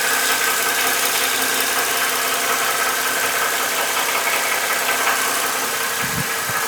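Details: Mercedes M272 (S211) at warm idle after an oil change to 5W-50 (thicker than the recommended 5W-40/10W-30): a light, uneven ticking valve train knock remains, possibly slightly lower pitched or quieter, so the thicker oil did not fix it.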